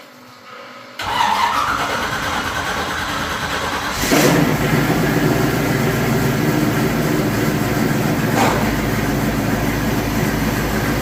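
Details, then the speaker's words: Engine after header modifications and new gaskets to fix exhaust leaks from a suspected warped manifold: cranks, fires and settles into a steady even idle with quick blips, no more ticking, quieter. "No more exhaust leaks. She sounds good. She sounds a lot better. No more tick, tick, tick, tick, tick."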